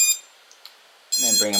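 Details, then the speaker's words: Raptor210 quad with Hyperlite V4 2522kv motors and X-Racer Quadrant 25A BLHeli_S ESCs, Radiance FC on Multishot, props off, Betaflight sliders raised to top; quiet then sudden steady multi-note beep; normal ESC calibration tone. "Now that we're on multi-shot, so go down to motors, props off, very important, all the way to the top. You can hear that tone,"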